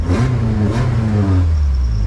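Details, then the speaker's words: K-swapped supercharged K20 Civic wagon, warm at 188°F with fan on, IAT 111; quick rev then clean drop to a steady 1,000 rpm idle, down from 1,400 after adjusting the throttle body valve to close more; healthy idle. "but the good thing is I was able to get the idle down to 1,000 and uh all I did was adjust the the valve on the thought body to let the valve close a little bit more"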